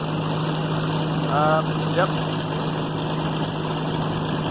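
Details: New Holland 1400 combine, Ford 300 engine, after cylinder head replacement: even low idle with steady hum, no knocks or misses; healthy, though owner feels it is less responsive with the different head.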